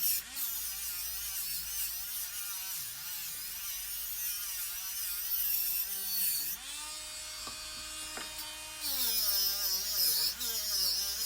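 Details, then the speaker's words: Small Dremel rotary tool working metal while making silverware: a high, thin motor whine that dips only slightly as the wheel bites and recovers quickly. It has enough torque, unlike the bigger Dremel, which bogs down; normal operation under load. "this little one has enough torque to do what I want but the big one is just the big blender or not blender the big Dremel you like this one here you can hear bogging down feel"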